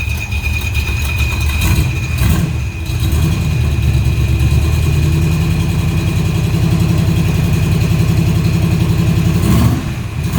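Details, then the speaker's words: 1979 Jeep CJ with built 304 V8, MSD ignition, glasspack exhaust, cold: lumpy idle with a loud howl that comes and goes from a brand-new but defective clutch throwout bearing fitted with a new clutch; bearing to be replaced. "that's cold sounds good except for that that loud howling noise"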